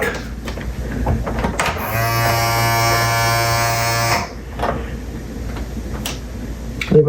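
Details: RCA SJT 400 CED player opened up, fuses checked okay: steady low buzz for about two seconds while trying to load; loading motor straining against a bad drive belt.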